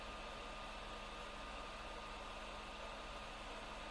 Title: PS4 Loud Fan noise - The Last Of Us